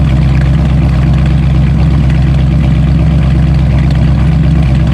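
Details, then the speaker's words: Bluick started after about two months sitting with a slightly low battery: steady, deep, even dual-exhaust burble at cold idle, no knocks or misses, after initial cold shaking and misfiring calmed with a light rev; normal idle. "that started up nice and easy that battery's a bit low i can tell but indeed she did start up i'm gonna let this run for a bit let it warm up we'll kick it down all that great stuff here's your exhaust note"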